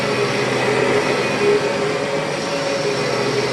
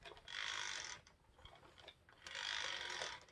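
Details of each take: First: 1996 Kirby G4 vacuum after refurbishment with new bearings and a transmission swapped in from a donor G3 (not perfect sounding): steady, even mid-tone motor hum with no rubbing or grinding, bearings smooth; normal motor run. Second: 1996 Kirby G4 vacuum, transmission in neutral, before refurbishment: dry rattling clack in two bursts as it rolls; age-related dry rear axle bearings that need grease.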